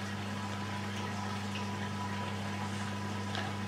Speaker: so I have the machine back together now and I'm just gonna Romish with the door open to see if it drains out properly